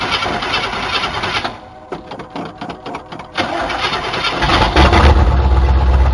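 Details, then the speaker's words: 1977 Chevy C10 Custom Deluxe V8 truck, sat on ramps for years, exhaust not hooked up: brief crank, catches and settles into a loud, raw, blatty unmuffled idle. "it's been a long time sitting up on these ramps but i'm gonna fire it up for you the exhaust ain't hooked up"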